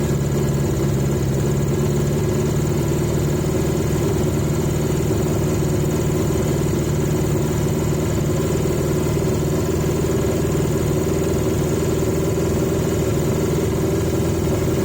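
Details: 1980 Yamaha XJ650 four-cylinder on the airbox, during carb balancing (1-2, 3-4, then the banks). Lumpy, slightly uneven idle with no clean settle, cylinders 1-2 juddering more. Idle still unstable; owner is confused as that carb is balanced.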